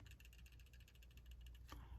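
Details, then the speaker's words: Glock 23 Gen 3 pistol, swayed side to side: a light, quick run of small metallic ticks then a couple of sharper clicks; the trigger safety dangling on its spring, silent once a finger tensions it; normal. "Turns out that the trigger safe right here is very loose and it just kind of dangles there on its spring, and nothing will happen until you pull it down and there's some tension on there."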